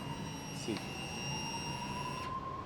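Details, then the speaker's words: Motorcycle with key on, engine off: faint high electric buzz for about two seconds then stops, fuel injection system priming; normal. "okay once I turn on there is a small busing sound it is just because of the uh fuel injector is turned on"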